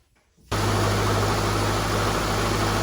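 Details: 2005-2009 Subaru Legacy after power steering pump replacement: starts instantly and settles into a smooth even idle with a steady low hum, no whine from the new steering pump.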